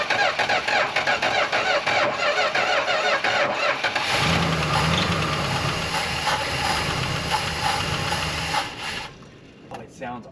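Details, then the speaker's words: Chrysler Newport V8 first start after sitting at least 22 years, oil pressure building: cranks, catches, settles into rough idle with a light fast lifter tick; lifter tick at cold start. "I mean, it sounds awesome. Go ahead, please. >> Just a little bit of lifter ticky."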